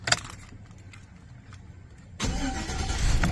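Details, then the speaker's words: Chevrolet Silverado after tightening the loose starter wire bolt that had caused clicking and no-crank; a brief starter whir, then it fires right away and settles into a steady, even idle. "like butter, baby."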